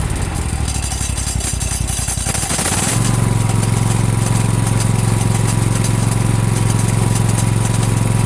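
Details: Exmark mower with aftermarket PTO blade clutch bought online, about 15 hours since new, noise worsening; once blades engage a loud steady drone with harsh rattle over engine; loud noise from PTO clutch, cause unknown.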